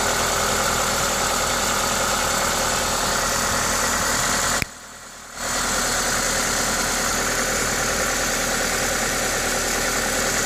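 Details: Toyota 2ZZ-GE engine at normal idle: even, steady beat of about four per second with strong intake hiss from the owner's induction kit on top, no knock or miss; healthy engine.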